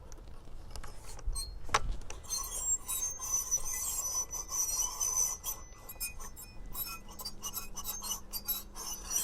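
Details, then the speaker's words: Husqvarna T542i XP battery top-handle chainsaw: a high, scraping squeal like an old wheelbarrow as the trigger is pulled, before the chain spins up. Suspected dry clutch; the manual says the shaft and bearings can be greased. "when you pull the trigger that the initial movement before it starts really spinning up um yeah it sounds like an old wheelbarrow"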